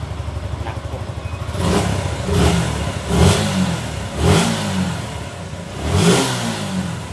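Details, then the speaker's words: Suzuki Gixxer motorcycle that wouldn't start, after cleaning rusty, water-contaminated tank, new fuel filter and spark plug: small engine revs smoothly through clean blips about one a second, then settles to even idle; now runs properly. "Okay goods goods umaandar na okay patay muna natin"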